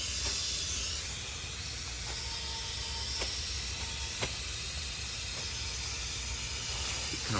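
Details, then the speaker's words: 1975 Lincoln Continental low-compression diagnosis: steady airy hiss heard and felt coming out of the intake while the cylinder (number three checked) holds pressure, none from the crankcase, ruling out rings; air leaking past the intake valve. "i just wanted to make sure to be honest that it wasn't a ring issue and i don't see i don't hear any coming out of the crank case i didn't check the exhaust um but i can definitely hear it and feel it coming out of the intake"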